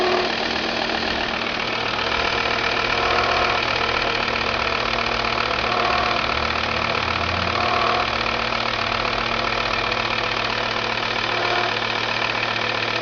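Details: Volvo V70 TDI diesel idling with a steady, fairly even knock at about four beats a second; the abnormal knocking at idle has no source pinned down yet.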